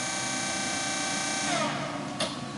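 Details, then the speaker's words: DoALL 618-7 hydraulic surface grinder, 1 HP spindle motor rated 3450 RPM, spindle said to run about 3,600 RPM. Smooth, steady high-pitched whir with no knocks, then it fades. A super quiet, healthy spindle. "That spindle's still running. Super quiet spindle. 3,600 RPM."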